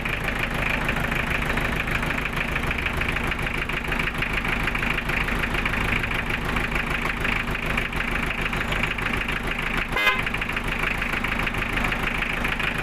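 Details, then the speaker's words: Newly overhauled Toyota 2C diesel in a restored owner-type jeep, just started: an even idle clatter about three beats a second with a short horn-like blip, sounding healthy. "Ayan, umandar na mga boss."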